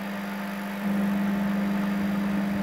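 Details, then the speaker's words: Panasonic microwave that runs but doesn't heat: steady low hum steps louder and holds even; diode, transformer and capacitor fine and magnetron powered, but low-quality magnetron with broken contact plates won't heat, likely even if resoldered. "Если слышен этот гул, значит, диод, трансформатор и конденсатор в порядке, и питание поступает к магнетрону. Но даже если я спаял и восстановил магнетрон, результата, скорее всего, не будет."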